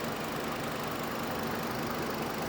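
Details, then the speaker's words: 2008 Hummer H3 with misfire complaint, at idle during diagnosis: rough, uneven idle with a recurring stumble breaking the beat; near-constant misfire, earlier intermittent. "We almost have a constant misfire now where before what were we seeing? Maybe two and then six and then, you know, maybe eight or 14. It was bouncing back and forth to zero."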